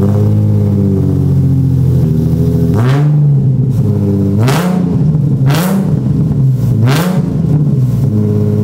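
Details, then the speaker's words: Catless Nissan 350z (VQ35HR) daily drifter that has been running poorly with a misfire but no check-engine light: loud, raspy low truck-like drone with revving blips, from exhaust leaks and a crack around the resonator on the test pipes. "it's because i have an exhaust leak and a crack around the resonator on my test pipes since this car is catless and since we have all these exhaust leaks it honestly sounds like a truck"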